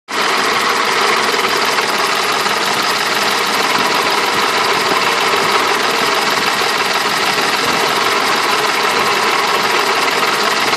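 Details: BMW M20 B27 engine at steady idle, with a sharp metallic tapping running through the hum that stays constant without load; engine knock at idle.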